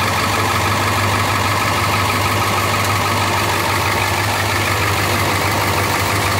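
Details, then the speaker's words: International T444E diesel in a rear-engine pusher bus at idle: loud drone with ticking exhaust puffs from several exhaust leaks and a slightly uneven beat; owner suspects a problem in one cylinder. "So we're going to start it up so you can hear this little T444E, and it's got a couple exhaust leaks, but see if you can pay attention. It's going to get loud, but see if you can hear the difference, or if you can pick up on the one cylinder."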